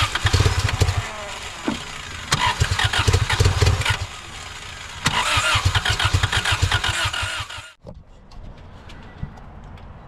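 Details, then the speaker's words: Honda Civic 1.6 L after sitting about 10 years, brake cleaner sprayed into the intake: repeated cranking with brief sputtering catches that never hold; runs only on sprayed fuel, suspected dead fuel pump or gummed tank. "it'll fire up on a flammable Source uh so yeah pretty much the the fuel pump is dead"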